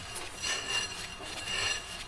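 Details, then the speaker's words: 1980 Mercedes 240D W123 front wheel turned by hand; rough scraping rub rising and falling about once a second, brake dragging; owner suspects seized brakes, wheel hardly spinning, brakes weren't working when pulled into the garage. "believe these might be seized cuz Yeah, I ain't supposed to sound like that. Oh my god. I was wondering why this wheel wasn't spinning."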